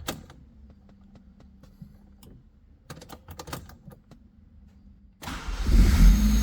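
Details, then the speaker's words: Honda Civic EG3 hatchback with a Mini-me VTEC head swap and P28 ECU, previously a no-start, left sitting. After a new 40 A fuse, starter cable and battery from another car, it catches at once and settles into a steady, even idle. "Now it starts. Man! Finally! The engine started. Holy! It sounds good."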